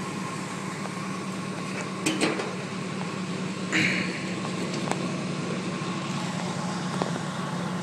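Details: 1980 Jeep CJ5 cold start after sitting four or five days through sub-zero nights, around five degrees out: steady even hum, constant low note, no knocks or surges; idles smoothly.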